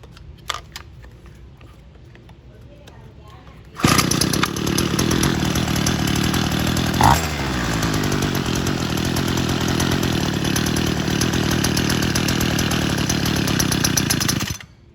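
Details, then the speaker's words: Homelite UT32650 two-stroke string trimmer (apparently dated 6/2010, ~12 years old) after replacing its OEM carb with a HIPA carburetor; a quarter turn richer on the low screw leaves it running rough, blubbery and uneven, too rich, before the high screw is set. "Too rich. Okay, now I'm going to adjust the high."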